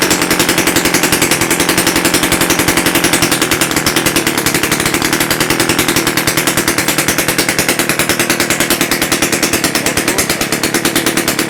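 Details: Rebuilt Romet S38 two-stroke moped engine, Almet cylinder, new parts, first start after overhaul on a bench with no exhaust elbow or muffler: fast, crisp, even popping, steady idle, started nicely; normal running.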